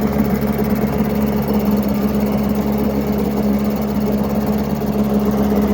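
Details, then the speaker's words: 7.5 HP Mercury long-shaft two-stroke outboard from the 1980s, first start after 25-30 years sitting, primed, on water: steady buzzy fast-idle note, even with no knocks or misses; runs cleanly, though it likely needs a new impeller. "it's pretty hard to argue with that first like 15 seconds of run time in 20 25 years"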